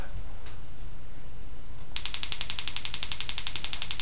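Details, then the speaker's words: Homemade lightning motor running off AAA batteries: crisp, sharp snaps starting at about two seconds, repeating evenly about eight per second; spark gap set right, no internal arcing. "As you can see, the spark gap's just right. It won't arc on the inside, and that little light bulb won't come on."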